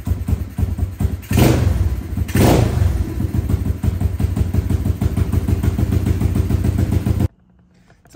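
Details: SSR125 single-cylinder pit bike, first start after rebuild with compression restored: quick even thumping at low idle with throttle blips, smooth. Slightly smoky (owner suspects valve seals); idle too low, needs bigger pilot jet. Normal idle.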